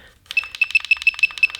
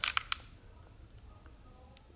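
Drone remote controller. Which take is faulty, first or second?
first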